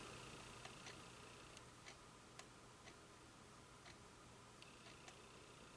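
Light, crisp tick about once a second, even and unhurried over a quiet room hiss; the movement is running normally.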